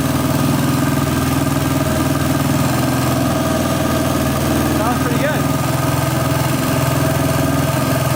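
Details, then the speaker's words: 1999 Honda XR250R after flooding, top-end rebuild, fresh oil and timing set, on first start: a slightly uneven single-cylinder idle with a faint light tick, origin unknown; oil pump function uncertain. "I hear a slight ticking. I don't know why that would be."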